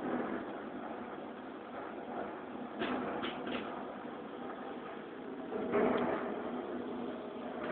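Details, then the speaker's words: M-Audio Conectiv soundcard with nothing connected but the 9 V AC adapter: steady rushing, thunder-like hiss with occasional surges and no program signal, noisy output; owner wonders whether the card is faulty. "is the sound we are listening to. Almost like thunder, and there is absolutely nothing connected to it but a 9-volt power plug-in."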